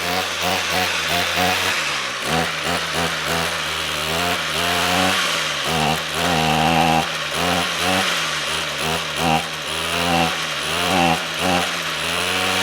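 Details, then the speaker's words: Trash-picked Ryobi two-stroke string trimmer after draining stale fuel and adding fresh: buzzy engine that won't hold steady revs, surging and sagging; has spark and compression, fuel delivery issue, carburetor suspected needing cleaning. "okay well it runs so we got spark we got compression fuel is the issue so i don't see any adjustment screws on this i think it needs to be cleaned"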